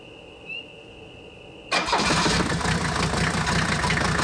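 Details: Mercedes W123, 400,000 miles, after replacing cracked leaking radiator and faulty thermostat that caused overheating: quick crank, catches and settles into steady, even idle, no misfire, knock or stumble; overheating fixed; normal start and idle.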